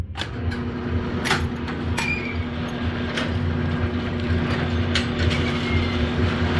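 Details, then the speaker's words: Brunswick A2 bowling pinsetter after replacing a missing motor contact, single-phase main motor: steady low hum with occasional clanks and rattles as it cycles; starts right up, runs quiet and cool, nothing binding. "turn off wait for it to stop turn it on starts right up we'll test it a couple of times make sure it doesn't have any starting issues or other running issues so start looks good"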